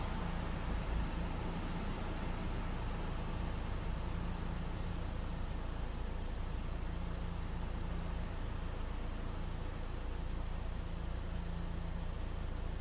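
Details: 2013 Ford EcoBoost 1.6 L after cleaning the mass air flow sensor to cure a rough, unstable idle: a low, even rumble holds steady with no hunting or stumbles, idle rpm lower. Smooth, stable idle.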